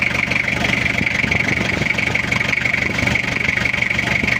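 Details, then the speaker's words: Toyota Kijang diesel just started after cylinder-head rework, glow plugs installed, cover off, cold before warm-up: even idle clatter about four beats a second, no misses or knocks; sounds good. "suaranya udah kelihatan meskipun baru hidup suaranya sudah kelihatan e enak"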